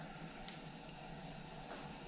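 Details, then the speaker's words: Coleman model 243 lantern after check valve replacement, lighting: steady, even hiss with no roar building, burner weak and fuel-starved; owner suspects dirty generator, which was then pulled and ended up replaced. "I can definitely hear it's hissing there it's finally starting to come to life I wonder if we need to take the generator out and clean it"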